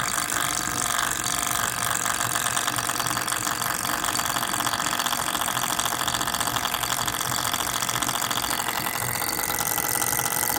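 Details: MSI GS30 laptop cooling fan (model PAAD07010SH N263): fast, steady buzzing rattle with a papery edge over the fan's whir, pointing to a worn fan needing replacement.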